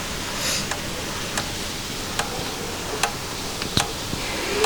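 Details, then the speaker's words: Motorcycle just switched off after a ride, sound from the catalytic converter and silencer: sharp metallic ticks about once a second at uneven intervals, quick at first then slowing, as the hot exhaust metal contracts while cooling; normal. "It is a sound of metal contracting. The metal is again getting smaller now because it is cooling down now."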